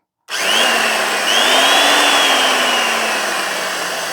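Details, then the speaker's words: Vintage circular saw, long unused, running without a blade; spins up cleanly to smooth even high whir and coasts down, bearings quiet, motor powerful; healthy. "runs nicely bearings aren't noisy feels like it's got plenty of power"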